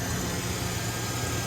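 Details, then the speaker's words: 1996 Ford F-150 XLT, 5.0 V8, 58,000 miles, hot day, after a new coolant temperature sensor cured a crank-no-start: fires right up to a steady, low, even V8 burble with no misses, knocks or hunting; normal idle. "all right new new temp sensor fired right up so that's good pretty happy about that nice and easy fix"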